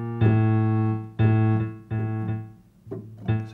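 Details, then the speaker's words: Kioshi Gen-1 digital piano with a misadjusted sensor rail height: single notes sound loud and hard with extra doubled tones; double triggering. "extra tones very loud that doesn't sound anything like it"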